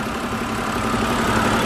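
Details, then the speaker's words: 2011 BMW 528i inline-six, after dealer warranty repair of VANOS units (code P052B, bouncing rpm at startup, rough diesel-like idle) now idles smoothly and evenly, steady hum, no knocks or misses; codes gone, nice and healthy. "for comparison here's how the engine sounds now after the repairs nice and healthy"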